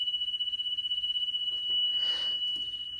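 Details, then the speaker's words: Car radio cassette deck with belts already replaced and the deck cleaned and lubricated. A high steady test tone wobbles about four times a second, intermittently, before a handling rustle. Massive tape speed flutter, blamed on the failing speed-regulated drive motor, which is to be repaired. "Yeah. It's got a massive flutter problem. Now, this is, I've seen some that were far worse than this."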